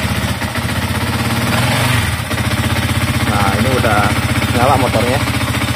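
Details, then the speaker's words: Older Yamaha MX King 150, first start after major engine service with fresh radiator coolant and oil checked: steady, even single-cylinder putter at idle, no knocks or rattles, settling smoothly; a healthy, smooth-running engine. "Alhamdulillah suaranya halus ya Nah ini suaranya halus ini tinggal kita diamin aja"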